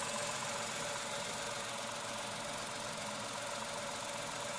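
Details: Tata Altroz three-cylinder petrol at about 5,500 km, hood open: a steady, even idle hum with a light hiss on top and no knocks or rattles. Refined normal idle.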